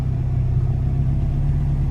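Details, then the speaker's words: ~30-year-old Acura/Honda Integra (B-series) just restarted after maintenance: deep steady idle, no squeal or ticking, faint wavering from a slight surge that predates the work; owner suspects a leak. "I mean, it's running. Um Sounds good, nothing squealing. Wow."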